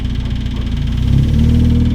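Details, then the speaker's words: Stock car's freshly self-rebuilt racing engine, after crash repair: steady low even beat, idle holding smoothly and unbroken; the rebuilt engine runs smooth, clean normal running. "I've said it now, but that's gone too well. The engine's running. The engine's running smooth."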